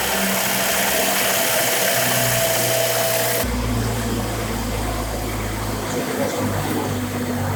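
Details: BMW X5 N55 engine after a full rebuild from scratch with new parts, first start: smooth, even hum with a faint steady whine, no surges or ticks; idles cleanly.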